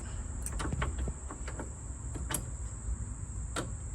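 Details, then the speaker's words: Holden VH Charger, starter refitted with new starter relay and cleaned terminal post, in neutral: only scattered light clicks, no cranking. Owner suspects a still-bad connection at the starter terminal or a weak battery; unconfirmed. "in neutral already checked oh that is signs of still a very bad connection"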